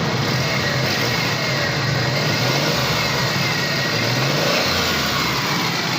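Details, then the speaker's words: Suzuki Cultus three-cylinder carbureted car after a carburetor service, plunger check and butterfly/jet setup, following earlier plug and butterfly complaints. Started up, it gives a steady, even note with no stumble or popping. Normal, smooth running. "माशाल्लाह गाड़ी स्टार्ट है, ज़बरदस्त साउंड है, रिज़ल्ट ठीक है इसका।"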